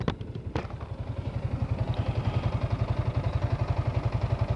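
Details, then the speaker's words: Sniper 155R motorcycle at 14,000 odometer, idling: steady single-cylinder thumping about four beats a second with a light clatter on top; owner says the valves (tappets) are a bit noisy. "Yan, tunog ng makina ko. Medyo maingay lang kanyang barbula."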